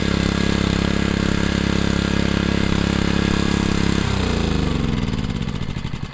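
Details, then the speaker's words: Honda CG160 5 kW generator tested with a hair dryer plugged in: single-cylinder engine runs at a steady governed speed, then winds down after four seconds; the engine sounds fine but there is no electrical output, with a capacitor problem in the generating section. "okay so there's definitely no electricity so for generator we usually have the part engine and the part that produced electricity yeah so that will obviously be that part that will have a problem"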